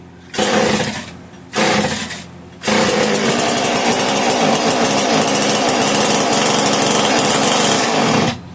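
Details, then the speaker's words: Homelite 150 chainsaw with bar and chain, bottle-fed fuel on full choke: two short snarling pops, then about five seconds of harsh buzzing before cutting out; won't run on own fuel, owner suspects carb needs rebuilding after long storage. "Okay, so this one with the bar and chain that was in the case that you seen in the last video is a no-go. Carb needs rebuilt. I mean, it's more than likely the carb."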